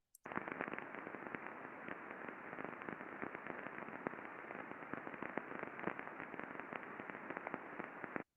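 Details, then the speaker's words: Ultrasound recording of a roll mill bearing before greasing: dense crackling and sharp pops with heavy impacting and friction, impacts near 400 microvolts; a dry bearing that needs grease. "so this is a uh bearing on a roll Mill before greasing if we look at the time waveform lots of evidence of friction and impacting here"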